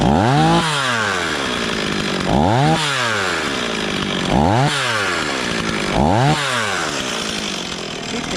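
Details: Stihl 026 chainsaw just after rebuild, first start and break-in, running thick fuel: crisp clean revs every couple of seconds, climbing smoothly and falling back to steady idle; running healthy.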